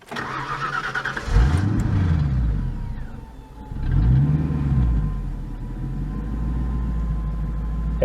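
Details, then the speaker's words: Crown Victoria engine after throttle body adjustment: fires, surges up and down twice, then settles into a steady smooth idle; start problem fixed. "it kind of loads up and down when it first fires up it did that before but now it seems like it's going to stay running and fairly smooth so I'm calling that a victory that fixed that problem and it was cheap"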